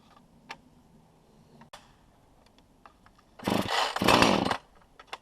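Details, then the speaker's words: 2015 Husqvarna 450 chainsaw with an 18-inch bar and 50:1 fuel mix, primed six times and on full choke: a few rope pulls with clicks, then a short ragged burst as it pops and cuts out. Normal first fire, so the choke comes off now. "Take the choke off once it does that."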